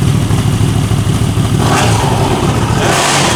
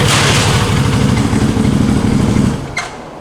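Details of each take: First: 2021 CFMOTO CForce 800 ATV after the clutch bearing and shifter fix: a steady, even idle with no knocking or grinding. The engine and clutch sound healthy. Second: 2021 CFMoto CForce 800 ATV at idle in neutral: fast uneven thumping while primary clutch drives the secondary, preventing shifting; seized primary clutch bearing, before repair.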